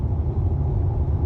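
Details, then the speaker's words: 2019 Subaru WRX STI at highway speed after rear wheel bearing replaced under warranty: only a low, even tyre rumble, no buzzing drone above 60 mph; wheel bearing healthy. "in and the noise is gone noise is gone so the whole thing was replaced under warranty"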